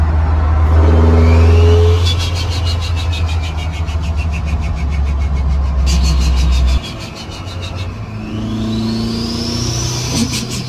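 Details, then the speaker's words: Rebuilt turbocharged barn-find engine on its test drive after the rebuild: strong pulls through the gears with a rising turbo whistle and crisp shifts, no knocks or rattles; healthy and pulling cleanly. "Right, so just took it for a little test drive, and yep, all is as good or better than ever."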